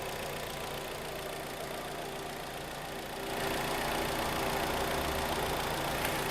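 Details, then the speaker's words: 2011 Kia Cerato G4KD, 211,000 km, after engine repair for knock and scoring, no catalytic converter (flame arrestor fitted): soft, even, quiet idle with no knocking or ticking; normal idle. "Как мягенькая работает спокойно и тихо да без катализатора машина никаких этих там нету да шумов да"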